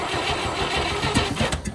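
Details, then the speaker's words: 1958 Chevy Apache, first start attempt after sitting for decades, in neutral with fuel poured into the carb: rhythmic cranking picks up a few firing pops, then fades out without catching; an open oil line is leaking. "Ooh. Ooh, she wants to start. Let's go. That's promising."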